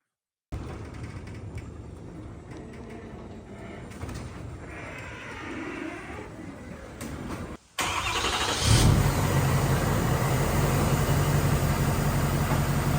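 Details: Rebuilt Ford F250, previously totaled, after new oil filter regulator; starter cranks briefly, then the engine catches cleanly and settles into a smooth, steady idle with no misses or knocks.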